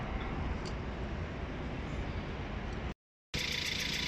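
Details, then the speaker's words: BAIC BJ40L four-cylinder after fixing misfire on last cylinder (spark plug replaced, injector worked on): even quiet idle with steady low hum, zero misfire; faint light rattle from a loose sensor to be tightened. "अल्हम्दुलिल्लाह हमारा इंजन मुकम्मल फिटिंग के बाद start position में है, zero missing के साथ।"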